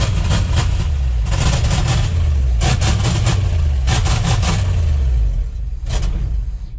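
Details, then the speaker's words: 1969 Ford Highboy with a tired 360 V8, first start attempt after fuel pickup cleaning: loud uneven revving bursts, stumbling and fading when throttle comes off, raw-sounding exhaust and heavy smoke; rough running, won't idle. "Doesn't want to idle. And it's smoking a lot. I thought this thing had a full exhaust. It sounds like there's not even an exhaust on the thing."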